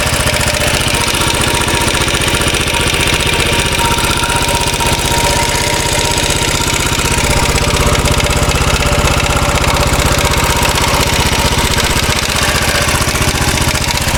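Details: 2013 Royal Enfield Classic 500 single-cylinder at idle after engine teardown and reassembly to remove stray M5 x 35mm bolts: decompressor noise gone, but a busy, pulsing metallic top-end rattle remains; oil level okay, tappets and rockers to be checked.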